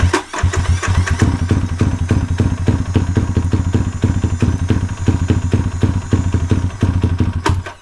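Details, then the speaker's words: Motorcycle single-cylinder with newly fitted 34mm carburetor being dialed in to cure a cruising bog: just fired, slow uneven idle near stalling; idle speed set too low, then cranked up. "i guess it was kind of running and i just held it didn't sound like it though it was a little low crank it up that's more like it"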